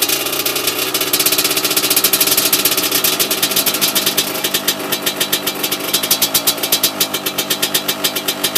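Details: Yamaha YZ125 two-stroke, first start after a new top-end kit rebuild, left idling to seat the rings. Crisp, buzzy popping at low revs, a little uneven as it settles but it keeps idling. Normal idle.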